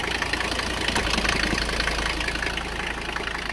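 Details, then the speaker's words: 1985 Mercedes-Benz 300CD Turbodiesel, batteries nearly drained: ragged, uneven knocking around 160 beats a minute with a stumbling beat, "sounds like a freight train but she's going"; rough running on only a few cylinders. "oh there's two there have two cylinders we got chi-chich my man sounds like a freight train but she's going"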